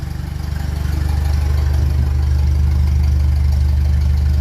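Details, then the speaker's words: 1957 Ferguson 35 TVO tractor after refitting cylinder head with repaired water distribution plate, left running: deep even thump settling into steady idle as revs rise slightly, no knocks or misses; rolling very well, coil still not proper. "sounds like it's rolling very well now"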